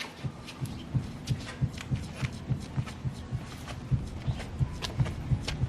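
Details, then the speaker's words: BMW E36 drift car, rear raised and wheel rocked side to side; dull loose knocks about three a second from play in the worn lower trailing arm ball joint, cause of rear clunks, before replacement. "and you have side to side play in and out you can hear it yeah you can definitely hear it if you put your hand on the ball joint you can feel it moving in and out"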